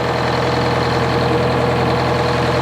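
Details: Detroit Diesel 4-71 two-stroke powering a sawmill, started after twelve months idle with a jump-start pack: steady, even low diesel idle with a quick regular firing beat, no knocks or misses; normal idle.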